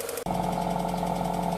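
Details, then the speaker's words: 1995 Mazda Astina (automatic) project car, engine running: light fast top-end tick over steady hum; owner suspects cam lifters not getting enough oil at the top of the engine, oil looks clean, no smoke. "we've got this tick and this will be the cam lifters not getting enough oil at the top of the engine"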